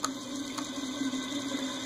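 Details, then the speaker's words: Evergo Emperor (Roma) ceiling fan after reverse switch replacement, running: motor hums with a wavering drone and dry scratchy hiss because the bearings are still noisy, still being worked with WD-40 and then 10-weight oil. "however the bearings are still noisy if you take a listen"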